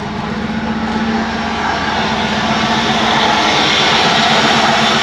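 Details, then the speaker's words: 1994 Pontiac Trans Am GT revived after 17 years, just after fitting a new injector and held on revs: loud, raspy roar that keeps climbing, possibly fire in the exhaust; oil pressure great, temperature rising to 110; loud exhaust. "got a noisy [ __ ] [Music] it's blowing so much out of it oh it's on fire in the exhaust i think"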